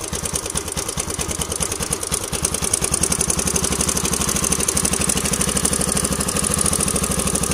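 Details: Yamaha LC135 motorcycle single-cylinder at idle: busy metallic clatter at about three ticks a second; likely a slack timing chain.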